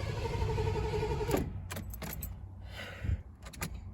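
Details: 1986 Mercury Capri 5.0, last registered 2003, first start attempt in maybe 20 years: starter spins engine with even beats for about a second and a half, never catches, then clicks; fuel pump heard running, cause unconfirmed.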